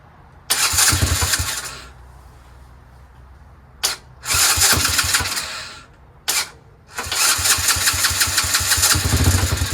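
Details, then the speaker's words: Chinese 125cc ATV quad with intermittent spark loss, cold start at 30°F without choke: short cranking bursts, then catches into a rapid uneven putter with rev blips; owner suspects the CDI, ignition kill wire or switch. "it's cold it's 30° I didn't choke it but it starts see so it has spark"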